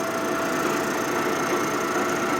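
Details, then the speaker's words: Boring a hole on a 1946 Harley knucklehead stroker rebuild: smooth steady spinning whine with no chatter or metal scraping; cutter turning but not cutting, just smearing the surface, despite the indicator setting. "so that means it probably wants to be at 9B so for whatever reason when I moved it the first time it even though the indicator said to move it The Cutting says no don't do that"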